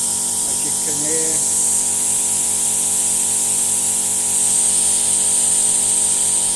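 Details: Mobile plasma cutter with a built-in compressor, trigger pressed: a steady airy hiss over an even humming motor, with the compressor starting straight away and no surging or rattle; compressor and air flow are normal.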